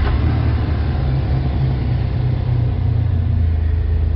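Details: 2004 Jeep Wrangler 4.0L six-cylinder, idling during a synchronizer check that shows sync in range at about 6–8 degrees: low, steady, even rumble with no miss or hunting; healthy idle.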